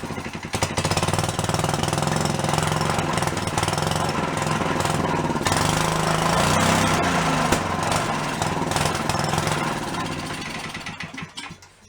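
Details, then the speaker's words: Yerfdog go-kart that sat for many years, started with fuel squirted in, governor unhooked and no fuel filter: single chugs then sags and quits; owner suspects sucked-up debris or no fuel reaching it. "so we either sucked up some debris or there's no fuel getting to it at all"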